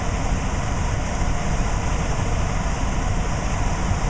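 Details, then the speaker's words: Trane variable-speed blower motor driven by a VZ-7 tester at cooling stage 2, high speed, about 700–800 rpm and 1400 CFM, with the blower door off: a steady, even rush of air ramping up with no knocks, rubbing or whine. Normal operation. "you should hear this motor start to ramp up as you can hear it it's starting to speed up"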